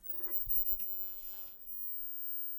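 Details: Commodore CRT monitor powered through an isolation transformer with the dim bulb removed: after handling noise, a faint steady high-pitched whine over a low hum; normal high voltage startup.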